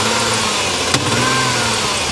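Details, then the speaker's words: Severe misfire on a 3.7 V6 Dodge Dakota towed back in still warm, with steam and smoke reported: rough running with hard popping back through the intake from at least one cylinder. "hear that we're misfiring real bad on at least one cylinders one whoa one one cylinder and it's popping through the intake pretty hard"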